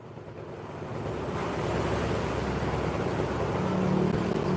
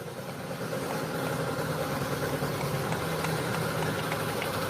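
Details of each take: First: Honda Beat injection scooter after CVT setting: even, soft drive hum swelling steadily with speed, no rattle or slap from the belt drive; normal smooth CVT running. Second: Honda scooter CVT (Vario/Beat PGM-FI injection) at idle: uneven knocking rattle about three per second; worn CVT rollers and a loose pulley bushing causing noise and roughness.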